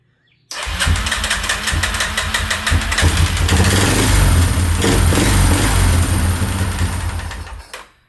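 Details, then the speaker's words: 2003 Yamaha Wolverine quad, after head and cam chain work, first start: the single fires up and chugs, but turns uneven and stumbles when the choke comes off, then dies. Stumbling; cause not confirmed. "It's wanting to run. [Music] Take off. Choke. Doesn't like that."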